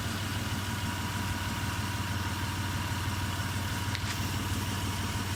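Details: 2001 Mitsubishi Pajero NM after conversion to a 380 engine, idling: uneven low pulse about three a second with faint high whine; present for several months since the conversion, unchanged.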